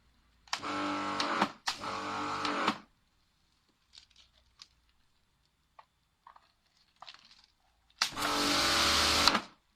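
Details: Karcher K5 pressure washer with Dirtblaster lance: motor buzzes up for about a second and cuts out, three times with quiet gaps; won't start or keep running.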